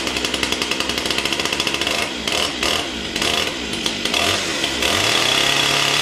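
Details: Stihl MS 661 C chainsaw with a 42-inch bar and M-Tronic carburetor, on a cold start: a sharp, rapid two-stroke buzz settling into a steady high rev after a few uneven bursts; the saw runs clean, normal running.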